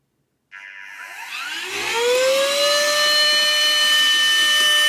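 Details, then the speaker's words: USB-C charged handheld desktop vacuum cleaner, fully reassembled with nozzle, vacuuming debris (no real fault had been found): motor winds up with rising whine over about two seconds, then holds clean steady high tone; working normally. "The Hoover is fixed. I've got no idea how I fixed it, but it's fixed."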